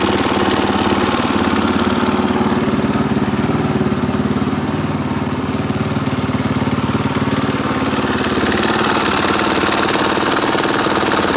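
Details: 2017 KTM 450 EXC-F Six Days single-cylinder idling and revving with steady rapid knock, louder on right side near bottom; oil held many silver non-magnetic curly metal shavings, some on oil screen; cause unknown.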